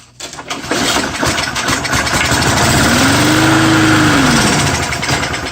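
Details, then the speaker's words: Mower on a true cold start with undrained gas catches right away and settles into a steady, even idle; owner thinks the primer bulb is partly plugged. "so what'd you guys think about that that was a true cold start"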